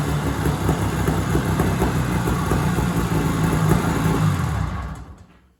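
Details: 1970s Sno-Pony snowmobile, 340 twin-cylinder two-stroke, first start after sitting 20–30 years: strong, even burble at about four beats a second with no misses, fading cleanly at shutdown once warm; engine runs healthy.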